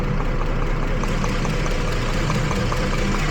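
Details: 2012 Jeep Liberty 3.5L V6 at idle after coolant from a loose radiator bleed plug soaked the engine bay: rough, stumbling idle, misfire on cylinders 1 and 5, with sparks arcing in the waste-spark ignition system.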